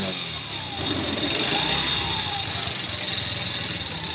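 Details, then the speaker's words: Motorcycle engine with a bore (cylinder) problem, tension already adjusted: a loose, uneven clattering knock rides over the running engine and gets worse when revved; piston slap from a worn bore. "No, napakapangit ng tunog, no? Pumapalong-palo pag ano, no?"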